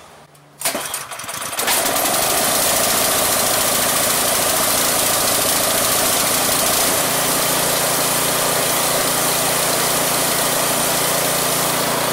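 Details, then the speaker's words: Craftsman 179cc 22-inch snowblower (PowerMore engine), pull-started after surging repair: catches at once and holds a steady, even high-speed drone at wide open throttle with no rise and fall; runs clean, no surging. "Look at that, baby. Wide open throttle. No surging."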